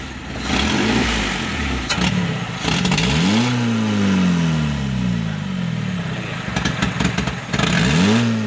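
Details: Suzuki Carry Futura fuel-injected, air filter hose removed, carb cleaner sprayed into the throttle body: snap throttle now gives a quick, clean rev climb and drop with no bog, pointing to a throttle body fault behind the hesitation.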